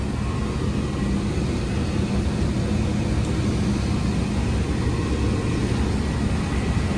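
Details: 2004 Rheem split-system furnace on a no-heat call: a steady low rumble of burner and fan airflow with no rattles, squeals or cycling; running normally.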